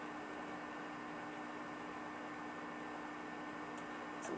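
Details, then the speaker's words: HP Vectra VL400 desktop (Pentium III 800 MHz, 512 MB RAM) powered on: only a faint, steady fan hum with a single click near the end; impressively silent, quieter than the VL420, running normally. "I'd like to point out that the 400 is impressively silent and it gets even quieter than 420"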